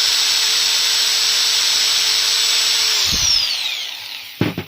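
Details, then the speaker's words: Angle grinder after regreasing its gears and bearing, run at no load: a steady, high, smooth whine for three seconds, then an even coast-down with no grinding; it runs clean. "I will now show you after all this how the bearing will work , you can hear how the speed is already rising"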